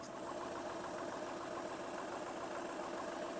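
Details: VW Polo diesel after major servicing and suspension work: quiet, smooth idle with an even, steady chug and no knocks or rattles. The turbo fan is damaged and gives a slight whistle, but the engine sounds healthy.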